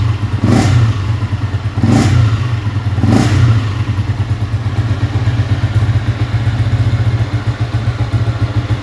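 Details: Yamaha Y15 freshly built with 63mm big-bore top set, not yet fine-tuned, before dyno: three sharp throttle blips, then a settling, even low single-cylinder thump at idle with no knocking or grinding; engine runs normally.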